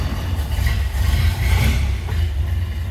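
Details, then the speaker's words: 1928 Ford Model A pickup four-cylinder, just started: deep, steady low idle with a firm, even beat and no misses or knocks; starts very easily and idles normally. "This one starts very easily."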